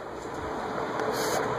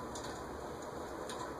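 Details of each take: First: Vintage Venton/VEC cast-iron 48-inch industrial ceiling fan, possibly 1970s or earlier, on high speed: steady airy rush, faint motor hum, no bearing noise; whipping around, running normally. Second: Vintage 1970s-or-earlier cast-iron 48-inch VEC/Venton ceiling fan on medium speed: soft steady hum with faint uneven ticking, dry stiff bearings from years unused; expected to quiet after long running, no oiling needed.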